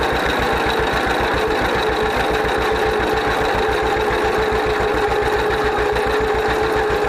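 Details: 1931 John Deere GP two-cylinder tractor, first run after carburetor repair. Even, steady putt at idle with regular firing pulses, no knocks or misses; idles smoothly and healthy, smokes a little.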